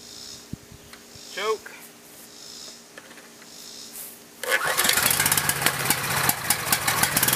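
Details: Generator stored unused for years, after pouring in new gasoline and refitting the spark plug: quiet, then catches on the first pull and settles into steady, even run with no misfire; normal start.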